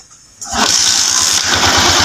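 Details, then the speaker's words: Motorcycle that could not be kick-started after reassembly (reversed spring, cam/timing gear out of time), now corrected with valves adjusted, valve seal and magneto oil seal replaced, piston rings decarbonized: catches first try, settling into an even beat. "Ayan o mga boss o. Good na good na."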